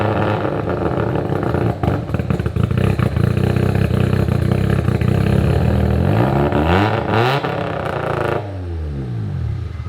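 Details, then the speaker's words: Abandoned Mazda RX7 rotary with new full exhaust, no timing in map yet: loud, fast, uneven idle well above normal, then dropping off; high idle from untuned base map. "Actually, there's no timing in it right now, so it's really just idle, fueling, and just things like that. It's idling rather high, but I don't r"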